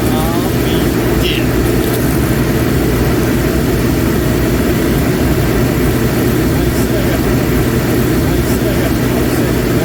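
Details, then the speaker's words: Master kerosene torpedo heater with E1 error, test run with igniter, pump and solenoid on; loud steady deep roar with no let-up; flame shooting out the end, possibly still warming up. "de it's flame shooting out the end but it's hard to say this might be getting up to temperature still but have to give that a look"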